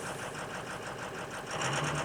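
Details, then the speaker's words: 2003 Ford Super Duty 6.0 diesel, 280,000 miles, cold start at idle: slightly uneven clatter with occasional stumble, a mild miss that smooths out after a few minutes; no exhaust smoke, injectors still to be scanned. "that little mist that you hear, that will settle down, smooth out, and then you won't hear it after it's been running a few minutes."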